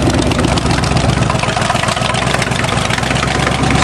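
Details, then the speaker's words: Chevy 350 5.7 fuel-injected V8, cold winter start with fresh battery: fires up cold and settles into a steady, deep idle without knocks or misses; normal cold start and idle. "always trust your Chevrolet to start on a cold day it is a Chevy 350 5.7 in there"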